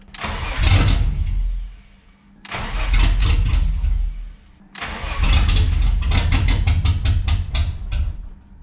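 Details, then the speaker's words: 1991 Ford Scorpio 2.9 V6 Cologne, sat long unused: three long cranking bursts, starter about four beats a second, never fires; no 12 V supply reaching injectors. "no real difference what are we missing here okay I came to the conclusion that we are missing 12 volts on our injectors here"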